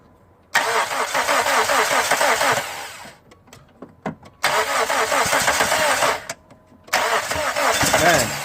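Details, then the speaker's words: First start of SOHC suicide-swap Neon, timing set, coolant temp sensor not yet connected: three rough cranks and catches with harsh raspy puffing; exhaust leak, and owner suspects his homemade EGR and intake also leak, reducing throttle response. "what you heard was these Yardley Kent and the exhaust leak and I think the EGR that I made a long time ago and the intake might be leaking too"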